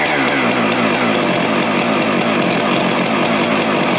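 High, even two-stroke buzz holding steady speed with no misses or surging; the saw runs smooth and healthy.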